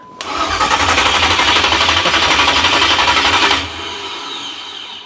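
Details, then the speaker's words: 1987 Chevrolet Monte Carlo SS with newly installed 383 stroker and Stage 3 200-4R, first start attempt: starter cranks steadily at about four beats a second with no firing at all; cranks but won't start, about 14 volts measured. "ain't even trying to start. It doesn't sound like it's firing at all."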